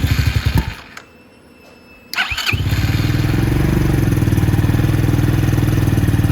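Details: 250cc Venom X22R Max motorcycle after valve adjustment and reassembly, freshly refueled: single thumps briefly and dies, then restarts and settles into a steady, even beat about four per second, idling cleanly.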